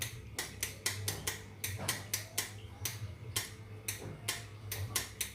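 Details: Motorcycle electric starter with strong battery voltage: sharp dry clicks about three per second from the starter bendix with no cranking at all; the starter won't spin because of worn brushes.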